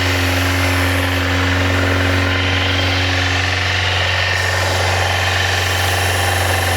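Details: Yamaha FZR400 four-cylinder after carb rebuild kit, new number 4 carb and battery, on a little fuel: smooth, even, steady note with no misses or knocks, then fades as fuel runs out; healthy.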